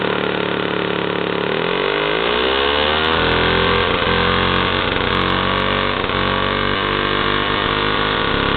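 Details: 1977 JCPenney Pinto two-stroke moped, sat about 8 years, run on a Briggs & Stratton lawnmower carburetor with oil mixed in: crackles into life, then the buzzy note climbs and settles into a steady fast pop, holding revs.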